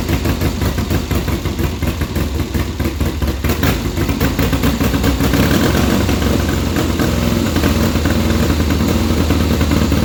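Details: 1972 Triumph Bonneville 650 twin that sat roughly ten years; even after new plugs and sprayed points, a lumpy, uneven low beat of about two pulses a second with missing firings, one cylinder dead, cold. Plugs fouled and points need cleaning.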